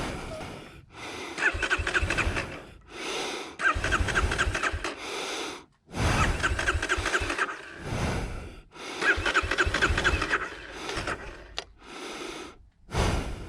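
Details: 2020 Kawasaki KLX 230 after going down in soft sand: repeated bursts of starter cranking with pauses between, engine never catches; cranks but won't start.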